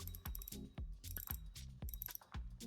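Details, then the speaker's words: Handing M1 Elite spinning reel: crisp even clicking in quick bursts as line pulls off, each click clean and consistent; drag clicker working normally. "Have a listen to the clicking. Sounds fine, all good."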